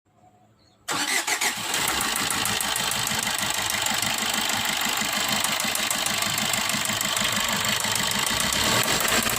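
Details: Maruti Swift Dzire new model engine firing up and idling with a hard, rapid knock through the clatter: connecting rod bearing knock with crank damage.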